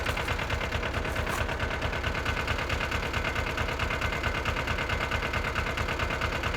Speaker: but it runs pretty good as you can hear it's pretty simple ain't all that big